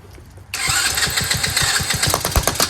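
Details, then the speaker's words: Chinese Tao Tao 125cc ATV quad with new carburetor, on choke, throttle held: engine catches and chugs with uneven beats surging with throttle but won't hold idle on its own; idle screw set too low, to be turned in half a turn. "all right so it needs a little bit of uh idle I'm going to turn the idle Jet in or the screw half a turn see if it stays running on its own without me holding it"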